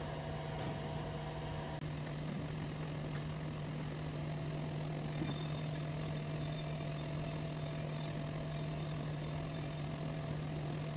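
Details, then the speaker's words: Diamond turning lathe cutting a homemade record after zeroing the stylus tip by reflection: quiet, steady low hum with no chatter or rubbing; the chip pulls off nicely and spools on the center nut/washer. Normal cutting. "there it is cutting lots of glare it pulls that chip off pretty nicely and clears it and uh we just let that cook"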